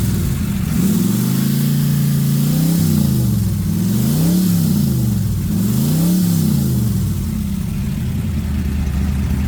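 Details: 1996 ERA 1965 Cobra replica, rebuilt big-block V8 with new Holley vacuum-secondary carb, distributor, ceramic-coated side pipes; deep even rumble swinging smoothly up and down through several blips, no knocks or misses; normal healthy revving.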